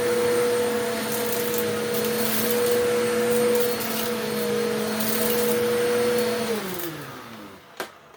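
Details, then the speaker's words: Eureka The Boss Capture bagless vacuum after repacking two brushroll bearings and replacing the broken belt, carpet pickup test: steady even motor hum, clean tone, no rattle or grinding, smooth spin-down at switch-off; healthy. "well I'd say that was quite a success let's do this again and I want to see if this power paw brush works"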